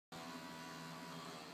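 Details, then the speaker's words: Computer optical drive burning a CD in iTunes, stuck on the last track showing 2 seconds remaining at 23.4x: steady even whir with fine hum running on unchanged while the burn stalls; owner unsure, wonders if memory-related. "And if you can hear my hard drive, my CD is just kind of whirring away."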